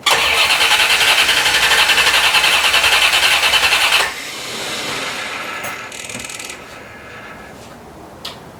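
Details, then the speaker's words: 1990 C4 Corvette V8, rebuilt after 5 years apart for a blown head gasket: the starter grinds steadily at about 3.5 turns a second but never catches. Owner suspects fuel starvation, since it was parked low on gas. "i don't think it's getting any fuel to be honest with you i think that's our whole problem no fuel"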